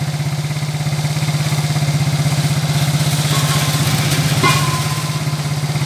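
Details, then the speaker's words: Smash 115 motorcycle after engine work, formerly noisy and shaking like a helicopter: steady even low putter at idle, no knocking or clatter; smooth, normal idle. "Okay, yan na mga bro. Smooth na yung makina."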